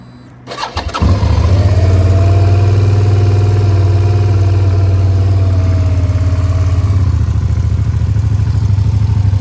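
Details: 2007 Suzuki SV650S K6, 12,669 miles, 4-stroke liquid-cooled fuel-injected V-twin with Leo Vince exhaust: quick crank, clean catch, then steady deep loping twin burble that stays even; normal start-up and idle.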